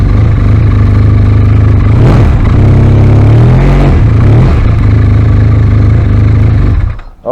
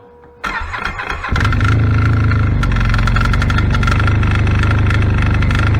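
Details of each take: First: 2016 Arctic Cat ZR5000 snowmobile after Team Industries Rapid Response drive clutch repair, part removed: idles with an even low drone and a brief blip, no rattle or clatter; the noise is gone. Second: 2016 Arctic Cat ZR5000 snowmobile at about 30-40°F, before Team Industries Rapid Response drive clutch repair: fires and settles to a fast idle with a light metallic rattle on the exhaust beat; rattle from the primary clutch.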